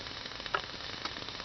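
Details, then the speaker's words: Propane absorption fridge burner being relit, with quiet, irregular crackles and sharp pops over a soft flame hiss as it smokes and steams; owner suspects water or mouse debris burning off. Cause not confirmed. "Again, you can hear that crackling noise. It could be water. It could be filth from mice, but I don't"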